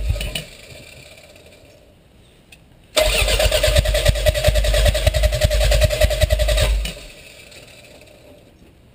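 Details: Toyota MR2 turbo: about four seconds of quick, even cranking, then stops without ever catching or firing; cranks but won't start.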